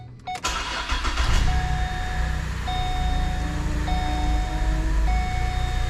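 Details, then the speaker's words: Pontiac G8 after coolant-leak repair (intake gaskets, water pump, coolant inlet, fresh oil) in garage: engine fires cleanly, settles into smooth, even idle with steady low rumble, warning chime intermittent; left idling while temp gauge is watched, runs healthy. "So either way, like I said, we're gonna let it sit here and idle."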